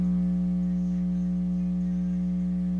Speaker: if you're home alone and you have a Jack that's hot and you have a buzzing speaker